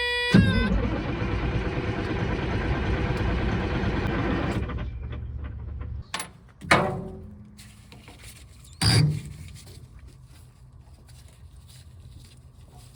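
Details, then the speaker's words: Caterpillar 3406E diesel in a D350E Series 2 haul truck, 18,676 hours, coolant and oil OK, fuel primed: starter cranks steadily about three beats a second for several seconds, never catches, then stops; no-start traced to the engine ECM not communicating. "well after about three rounds of cranking on it I decided that maybe it's not a fuel problem after all so I went and grabbed the laptop and sure enough I'm not communicating with an engine ECM"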